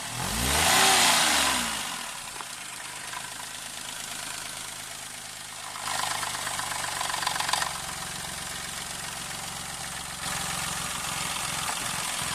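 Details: Move Custom L175S engine running with a steady, fast ticking near four per second and a harsh rising note on revs; an abnormal engine noise, cause not identified.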